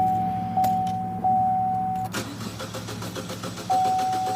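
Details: 2014 Chevy Cruze Ecotec with no stored or pending codes and 58–60 psi fuel pressure: a warning chime, then the starter turns the engine over in even pulses without firing. Crank no start, later traced to the coil pack.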